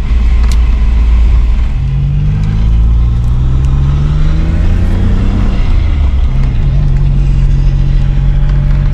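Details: Maserati 4.24V twin-turbo V6, on the road after injector cleaning: steady low drone falling in pitch as the car slows off throttle; rear differential whining under engine braking.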